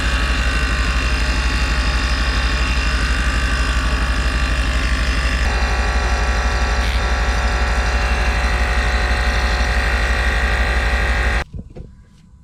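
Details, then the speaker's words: Range Rover Sport with faulty air suspension, engine idling: air suspension compressor running hard with a steady fast pulsing drone of about three beats per second during a soapy-water leak test of the pipe unions. "I'm going to get a bottle of soapy water fire it up let the air compressor Turn on and then spray all the unions with the solution"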